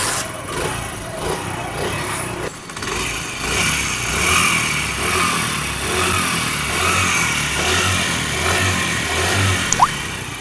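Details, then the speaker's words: 2023-model motorcycle with about 10,000 km has an odd internal engine noise: a light metallic rattling clatter with an uneven beat over the idle, suggesting a slack timing chain slapping a worn guide or tensioner. "अब ये new model bike है, engine के अंदर बहुत ही अजीबो गरीब आवाज़ है।"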